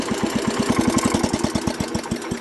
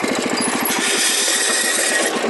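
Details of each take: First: Wheel Horse tractor after horrible transmission noise, tested in reverse and third gear: even rhythmic chugging fading as it shuts down, no grinding or squeal; drive normal, loose worn belt suspected as earlier cause. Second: Wheel Horse garden tractor, noise began driving downhill with the clutch pushed in: rapid rhythmic slapping and scraping, about eight a second, over a hiss. Owner feared the transmission; the drive belt was dragging against a cover flap.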